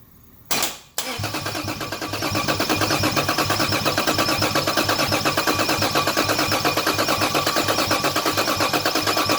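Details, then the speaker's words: Toyota Cressida with 2JZ engine swap, LQ9 coils, fresh fuel-system work (leaking #6 injector, no leaks found on recheck): starter cranks at an even, steady rhythm for several seconds, never fires; crank-no-start later traced to missing power to injectors and coils. "all right just try to start it didn't get anything but I did double-check the fuel system while I was at it didn't find any leaks this time"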